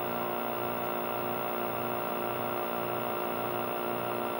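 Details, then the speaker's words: Nintendo Mario Bros arcade cabinet, 20EZ audio, after installing a new volume pot, volume loud: constant low buzz with ringing overtones, steady level, not much different and still noisy; mains hum through amplifier, ground loop suspected, unconfirmed. "let me turn the volume down and come back because that's definitely loud but it doesn't seem like it's that much different and it's still kind of noisy"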